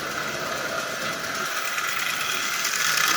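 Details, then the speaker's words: Marx 999 toy locomotive with a transplanted standard single-reduction motor from a 490 and a new front crossbar runs with a steady whir and light uneven tapping, standard push rods hitting the crossbar and needing trimming. "as you see it works just absolutely perfectly but like I said you can hear those push rods hitting the front of that - a crossbar"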